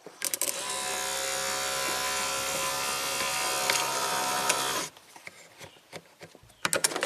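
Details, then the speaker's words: Pull-down motor on a 1993 Cadillac Allante Northstar V8's convertible top, bench-tested with a refurbished switch assembly: the motor whines steadily and keeps drawing current because the latch never trips the paddle cut-off switch, which needs adjusting. "still see it's still running current and the paddle switch is that cut off."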